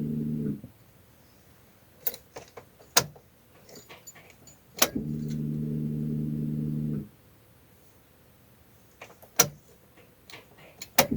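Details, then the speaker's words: Car at ignition key ON position: key clicks, then a low, steady hum for about two seconds that cuts off cleanly. This is the fuel pump priming at key-on, normal and not a fault. "ये जो आवाज़ आपने सुनाई दी है, मैं आपको दोबारा बता रहा हूँ, ये फ्यूल पंप की आवाज़ है। फ्यूल पंप एक्टिवेट हो चुका है, इसका मतलब है ये उसकी आवाज़ होती है।"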